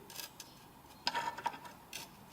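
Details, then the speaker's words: Motorcycle front floating brake disc, rivets levered with a screwdriver: faint metallic clicks and a brief scrape, showing grime in the rivets after riding in dirt; a possible source of braking vibration. "celui-ci fait légèrement du bruit en même temps j'ai été roulé avec dans la Crass la dégueulasse donc c'est c'est tout à fait normal"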